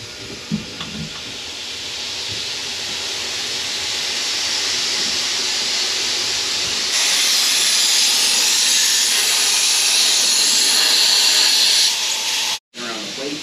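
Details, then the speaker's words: Intake manifold pressure test with the engine off, RTV-sealed: steady high hiss growing as pressure builds, then cut off when the air is shut; leaking around the plate. "Yeah, it's leaking around the plate. It held before when I was testing it with the other thing, but now it's leaking."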